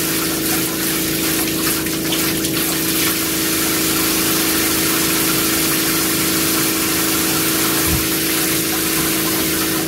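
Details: New water pump and Cointra CPA11 LPG boiler on a 1980s 36ft Springer narrowboat, with the shower on hot water only. A constant steady pump hum with rushing water and no pulsing or spluttering. Normal running; the water gets warm.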